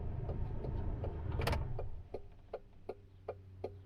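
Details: Great Wall Wingle (V240) camper with Mitsubishi 2.4-litre petrol engine running: crisp, even turn-signal flasher ticks about two to three per second over a low engine hum; normal indicator relay.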